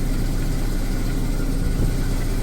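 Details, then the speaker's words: Mazda RX7 FC rotary just started after being flooded, cold, idling around 800–900 rpm with oil pressure; low deep idle with uneven lumpy beat, not particularly smooth but running. "grab the camera looks a bit lumpy it's not particularly smooth but it's running so it was flooded all along"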